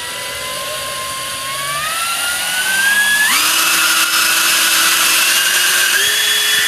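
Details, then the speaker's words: J2 prototype RC car: smooth whine climbing in pitch, EDF fan at 50% at neutral throttle, then stepping up cleanly as the wheel motor engages past neutral; running as it should. "so that's what's supposed to be happening out in the streets people you see once i'm at neutral throttle the uh the edf is at 50 and then once i go past neutral i start engaging the wheel motor"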